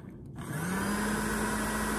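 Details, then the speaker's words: Popper coffee roaster, known-good unit, fan motor on low speed: it spins up within half a second to a strong, steady, even hum of constant pitch. Normal fan motor, unlike the defective units whose fans struggle and stop. "the low speed you know here the fan is strong it's consistent it's a running at an even level"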